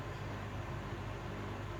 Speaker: As you can hear, it's a pulsing noise. It's the same if it's on a suspended wooden floor or a solid concrete floor, or even picked up by the handles.